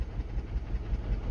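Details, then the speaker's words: Mini with six-speed, 102,000 miles, at idle: uneven, lumpy low idle shaking the car, one cylinder not firing; misfire persists despite coil pack and spark plug changes, low compression reported. "That's not me shaking the camera. That's the car. Unfortunately, what we've got here is a very poorly engine, as you can probably see."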